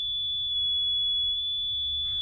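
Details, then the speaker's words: Vintage RCA tube audio generator after tube testing (all good), cleaning chassis sockets and pots, especially volume potentiometer: steady pure high sine whistle holding level without wavering or hiss, nice, smooth and loud; clean tone, volume pot cleaning helped. "And now you can hear the tone coming from it, a sine wave. So it's nice, smooth, and loud."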